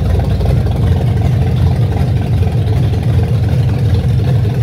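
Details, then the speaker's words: 1927 Chevy rat rod first start, timing partly set, small fuel leak remaining: loud, low, throaty idle with a steady loping beat and no misfires or knocks; noisy but normal idle. "that is not the quietest thing sounds good"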